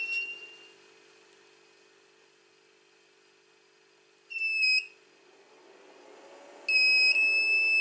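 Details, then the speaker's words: 2000W power inverter on a car battery with a test bulb gives a shrill low-power warning beep: a brief chirp, a half-second beep, then a long steady tone; it works after a quick repair. "Um this inverted has a feature that if it has low power it beeps."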